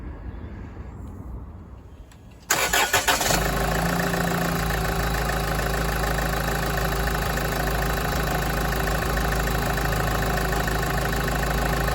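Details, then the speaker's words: Land Rover Freelander 2 diesel with air conditioning, running with the auxiliary belt removed to isolate a plastic tapping noise traced to a seized alternator pulley: steady, even idle with no squeal or rattle from the front. Smooth idle, belt off. "sounds a lot smoother. So, I'll add a new alternator."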